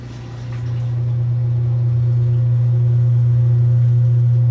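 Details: 1978 Kenmore 70 Series washer with new-old-stock motor, belt and pulley fitted: motor spins up within a second then holds a smooth steady low hum, no squeal or slap; normal operation.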